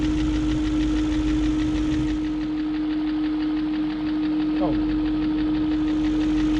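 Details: 2001 BMW E38 740i after rebuilding the VANOS units with Beisan kits, replacing VANOS distributors and camshaft gaskets, lifters checked, plugs tight: fast light ticking about four a second steady over idle hum; ticking persists, source unknown.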